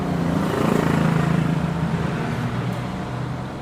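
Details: Small 150 W 12 V-to-220 V inverter, fuse jumpered, forced to run a rusty Shimizu water pump rated 300 W, loading about 170 W: a steady low hum with a coarse buzzy edge and a pulsing throb. Overloaded inverter, motor straining.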